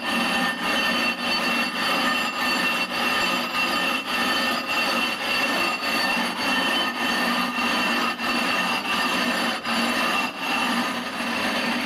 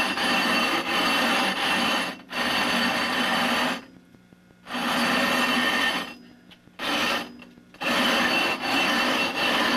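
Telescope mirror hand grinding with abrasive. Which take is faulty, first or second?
first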